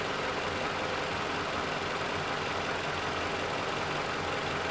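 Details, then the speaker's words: 2011 Toyota RAV4 2AR-FE 2.5L, about 150,000 miles, after engine teardown for oil consumption, warmed up: even, steady idle with no ticking or knocking, lifters quiet and engine running smoothly. "Engine's running good."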